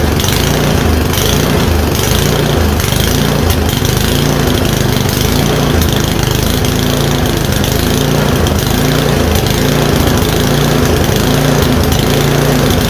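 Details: MTD Yard-Man 1024 two-stage snowblower with electric start, fuel lines soft like mush, carburetor was dirty; small single-cylinder engine runs steadily with an even, rapid exhaust beat and no misses; normal running.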